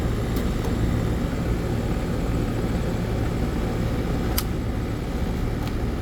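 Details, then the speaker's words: AC condenser unit after replacing a bad run capacitor with a universal dual run capacitor, breakers back on: steady low hum, even drone, no rattle, buzz or cycling; compressor running normally, drawing about 10 amps. "but yeah she's running I know you hear the compressor"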